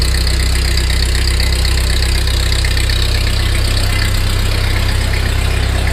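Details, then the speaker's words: 1948 Ford 8N tractor, first start after complete engine rebuild, neutral, choke, slight throttle: steady even low idle, no misses or knocks; oil pressure gauge pegged, foot throttle works, normal idle. "foot throttle works well excellent oil pressure heck it's got the G gauge Peg that idle that ain't bad so far so good proof that it runs"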